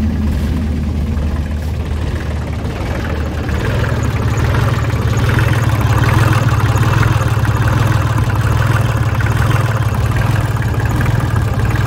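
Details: 2003 New Holland TC29D diesel tractor, sat in a yard about three years, new battery, injector lines cracked; settles into a steady, even idle after a rougher start, consistent low rumble, no missing.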